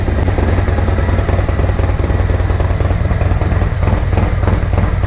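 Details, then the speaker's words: 2024 Harley-Davidson Road Glide, Milwaukee-Eight, after Zippers 534 cam change: deep, regular, strong loping idle, noisy intake, no ticking, clatter or leaks, a little smoke from spilled oil burning off; normal idle. "Noisy up here, sounds really good. Sucking a lot of air. Oh, chop for me, baby, chop."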